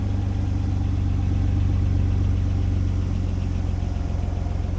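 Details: 2001 Renault Clio Sport 3.0L V6 with an aftermarket exhaust, checked in Japan just after starting: steady, even idle with a deep smooth burble and no knocks or misfires; healthy, and it drives fine.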